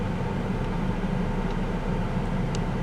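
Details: 1998 Chevrolet S10, Vortec 4.3 V6, idling after intake gasket replacement and coolant refill: even, steady low rumble with no knocks, ticks or misses; no leaks anywhere, owner believes the old thermostat was the issue.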